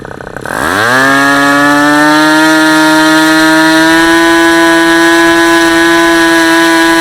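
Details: Super Tigre G90 glow engine on a test stand, third run, about 10% fuel, supplied Super Tigre plug, APC 14x6 prop, electric start; catches and climbs in under a second to a high, steady, clean scream held evenly; normal run.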